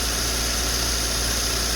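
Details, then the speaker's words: Citroën 2CV that hadn't run in a long time, started without a booster on a charger reading 38%, though the owner expected it not to start: a loud, steady, hissy idle that holds even, with no stumbling or knocking. "I will be shocked if this thing fired up no way no way that's unbelievable"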